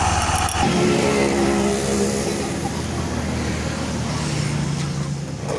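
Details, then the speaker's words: Honda Vario 110fi scooter after the wobbly crankshaft was trued and the worn left crank bearing housing repaired: after a brief blip it settles into a smooth, steady idle without rattles, back to normal. "untuk suaranya sudah kembali halus Kang Bro sudah kembali normal"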